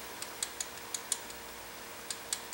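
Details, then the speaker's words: Honda CB360/CL360 engine stopped during valve clearance adjustment: a few light metallic ticks as the rocker is rocked by hand, slight slack, feeler gauge slides with slight resistance; correct valve clearance. "good and again if I rock the rocket you can hear a little bit of slack in there yeah it's not very much"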